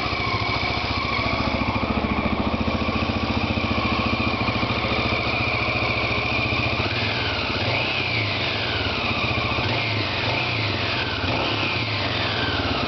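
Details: Honda XL600R engine first start after rebuild: steady, even single-cylinder beat with a clean exhaust note and a few light throttle blips; healthy and smooth.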